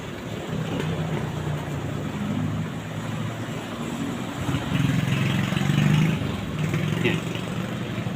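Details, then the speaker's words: Samsung WA16T6260 washer after replacing the faulty water inlet valve coil (previously powered on but no water entered): steady rushing hiss of water filling over low hum, no buzzing; inlet valve now feeding normally. "เข้าแล้วเนี่ยก็แสดงว่าเปลี่ยนใช้ได้มครับ"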